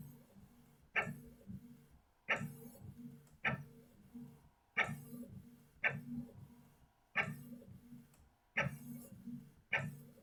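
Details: New Canon inkjet printer making a colour copy: repeating carriage sweeps about every 1.2 seconds, each opening with a sharp tick and soft rattling buzz; normal operation, copy came out clear with no blur.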